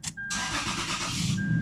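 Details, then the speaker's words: Toyota 4Runner with about 300,000 on it, cylinder 4 misfire only on first morning start and P0446 code: short crank then catches at once into steady even run; normal warm restart, leaking injectors suspected for the cold misfire. "and start it up you see it's not gonna give me that misfire now it will not give me that misfire only on a startup"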